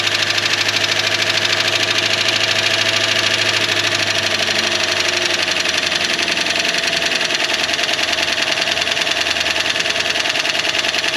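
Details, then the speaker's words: 1968 Ford Galaxie XL V8 first run after 38 years parked: even settled idle, no knocking, light lifter tick on top; lifters need runtime. "no knocking just some lifter ticking it's idling though"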